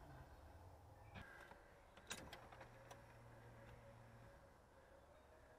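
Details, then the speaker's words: Car that stalls randomly while driving, at key on after cleaning the battery terminals and connections: a low, steady electric hum lasts about two seconds and then stops. This is the fuel pump priming normally; the car did not start on the first try. "Heard my fuel pump prime. Let's see if it starts."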